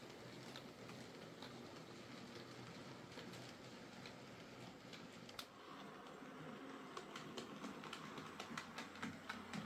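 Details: Hornby J15 model loco, bought new about two years ago, always slow and noisy; after motor swap and regreased worm gear, soft even whirr with faint steady rail clicks, no buzzing or grinding: quieter, smoother normal running.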